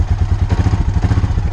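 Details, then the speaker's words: 2003 Honda ATV, just over 8,000 miles and 1,395 hours, not started in a long time; steady, even low thumping at idle with no misses or extra knocks, healthy idle. "and uh it runs good so uh I like these things good machines"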